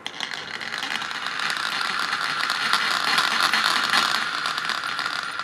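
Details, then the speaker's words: Mimi X7 transmission with modded roughly 3-year-old glow engine, freshly reshimmed head, new glow plug and bearings, spun by hand: light even gear whir, no catches or grinding; smooth transmission. "the transmission on these things are smooth as butter, people."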